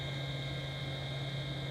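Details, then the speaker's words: GD-2015 Chinese FM broadcast transmitter (QN8007 chip) on its supplied power supply: a constant slight hiss under a steady low hum and a thin high "ee" whine that never changes; noisy output, cause unknown. "You can hear there's a slight hiss. And a kind of like ee."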